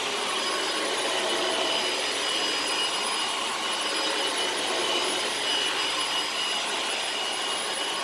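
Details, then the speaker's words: Dyson DC18 Slim All Floors vacuum (made December 2006), brushes refitted and reset button pressed after brush stopped spinning: steady even high-pitched air rush with brush turning smoothly, no catches or surges; running normally again. "thankfully I was right so it works beautifully again"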